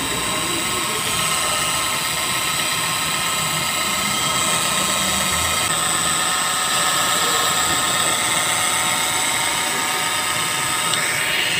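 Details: Steady engine running with a harsh, gritty, high-pitched grinding that appears when the A/C is switched on; the source is not yet pinned down.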